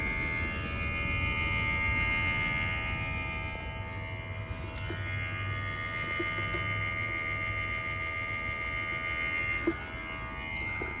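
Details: Blue Ridge (Alpine) mini split indoor unit, fan turned up and in turbo mode, filter just cleaned: steady motor hum with tonal whine over faint uneven rattle; loud hum and rattle from the fan motor.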